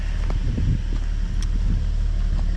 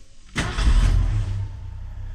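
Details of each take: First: 1981 Ford truck inline six, warm, after new PCV valve, grommet and charcoal canister, about 20,000 miles by owner: steady, even low rumble with no misses, idling a touch high. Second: 1981 Ford truck, carbureted, hot start without pumping the gas after PCV valve, grommet and charcoal canister replacement; brief crank, catches at once and settles into a deep, even idle, slightly high but fine in drive.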